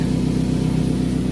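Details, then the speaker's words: 2007 Toyota Camry idling with a deep, rapid puffing rumble from underneath; exhaust leak from a small hole on top of the flex pipe, before repair. "All right, so that's the flex pipe that's underneath. And it has a leak on the top. It's got a little bit of a hole on the inside."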